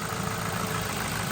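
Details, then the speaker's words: Ford Focus with a head gasket leak pressurizing the cooling system, after a week on Steel Seal and a four-mile run: steady, even idle hum with no knocks, misses or hunting. Little cooling pressure now, heater hot, no running issues; normal idle. "The heater is lovely and hot. There's no running issues. Everything would appear to be fine."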